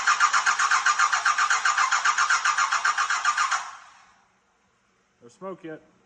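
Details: 1986 Ford F350 with swapped 5.9 L 12-valve Cummins, no coolant system fitted: starter cranks steadily about four turns a second for three and a half seconds, engine never catches; suspect fuel filter not filled.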